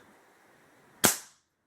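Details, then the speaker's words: Rebuilt Trail XL1100 air rifle, with new barrel sleeve and about 50% of the moly lube removed: one sharp, clean crack dying away within tenths of a second, no twang or buzz. Fires properly after rebuild. "Hear how good that sounds, buddy?"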